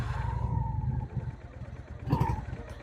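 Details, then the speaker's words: Older carbureted motorcycle just started cold with choke pulled fully out: low, lumpy putter at slightly raised speed, steady; normal cold-start idle while warming up. A backfire issue is being worked on. "it's an older bike and it's carbureted and it needs to warm up a little bit, so we're going to let it warm up before we go on to the next exercise."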